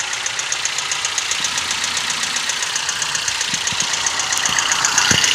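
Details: Toyota 1NZ-FE engine: sharp bright ticking about four per second over quiet idle; top-end knock, timing chain or VVT-i sprocket suggested but unconfirmed.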